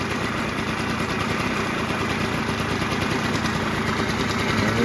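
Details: 1989 Yamaha Zuma 50cc two-stroke "Prebug" moped, first start after reassembly with the fuel petcock removed for direct fuel: steady, even idle buzz with a crisp exhaust rattle and no misses.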